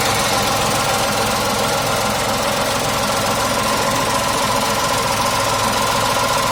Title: Tata tiago engine noise and vibrations | Tiago XZ Petrol 2019 | tata tiago petrol nvh level